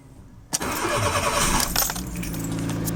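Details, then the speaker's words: 2003 Fiat Doblo van that had slow cranking, rough starts, then no crank with starter chatter, after a temporary solder repair of a corroded cable connection: brief click, cranks about 1.5 seconds, then catches and settles into an even idle. "and there we go there we go guys and girls problem sorted"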